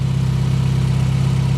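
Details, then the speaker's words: 1990 Mazda Miata four-cylinder idling smoothly and easily with no engine noises: a light rapid puffing tick from a small exhaust leak down low, which the owner plans to fix. "so it's actually she idles nice and easy no no like engine noises i hear the exhaust leaks"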